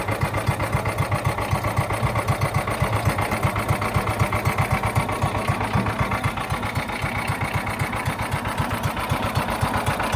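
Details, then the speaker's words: John Deere Gator 4x2, unrun for years, choked, with an electric fuel pump fitted: thumping small-engine idle at about four pulses a second, slightly uneven in strength; rough running from a dirty carburetor, later cleaned along with the jets. "We jump started the battery. The battery's still good. And we cleaned out the carburetor, cleaned the jets, and it's running now."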